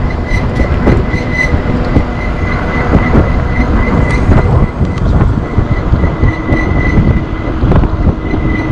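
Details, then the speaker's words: Rear hydraulic disc brake on a one-year-old ENGWE Engine PRO e-bike with 1200 km gives a thin, steady pulsing squeal while riding; worn rear brake pads, fixed by replacing the pads. "take out this pin and then to his two screw and then you can slide the brake pad and put the new one and then no more squeaking that's it"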